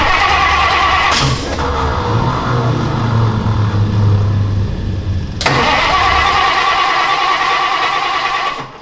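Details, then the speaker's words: 1962 Thunderbird that sat for 16 years, cranking after float bowls were filled: steady starter churning, about three beats a second, that never fires. Possibly flooded, but the carburetor is not getting fuel. "It's flooded probably. So, it's still not working. Okay, carburetor is not getting fuel."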